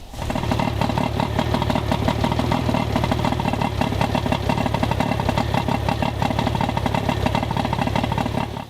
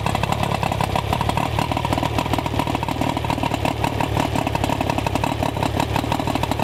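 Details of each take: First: Johnson outboard with rough running, warmed up at idle for an ignition timing check (spec about 3° BTDC ±1). Steady but choppy, uneven idle with irregular misfire-like stumbles. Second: Rough-running outboard after ignition repair (ignition control module replaced, coil boots shortened, silicone grease on connections): fast even buzzing steady idle with no misses; normal running.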